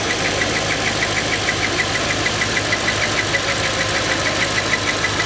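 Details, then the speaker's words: 2022 Audi RS3 after exhaust work, warm: high chirping squeak about three times a second at idle, rising with revs, traced under the oil cap inside the rocker cover; cause unknown. "all of a sudden it was like a really weird squeaking noise coming from the engine and it got faster as you read the car so it's definitely like some sort of spinny bit"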